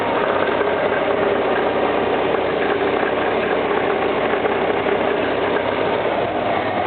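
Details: Engine knocking at idle: a steady, even tapping runs through the engine with little else in the background; cause unknown.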